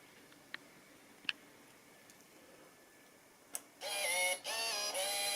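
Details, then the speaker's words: Yamaha RZ350 FZ/FZR project motorcycle after electrical troubleshooting, wiring reassembled, battery 12.8 volts, headlight unplugged: a few faint ticks then a clean tone sweeping and settling for two seconds at key-on; tachometer not damaged, electrics waking normally. "Well, that sounds good. Looks like the tack is not blown up."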